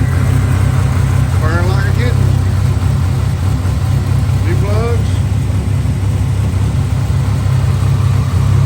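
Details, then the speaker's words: 1987 Buick Grand National turbo, 32K miles, sat 12-13 years, starting on new plugs, fresh gas and filter: steady idle with slightly uneven loping note; pulling the vacuum line kills it and gas drips out, owner suspects a bad fuel pressure regulator. "This old thing was hard to come off. It hadn't been off in 12, 13 years, but I saw a drop of gas come out of here. So apparently it may have a bad regulator, y'all."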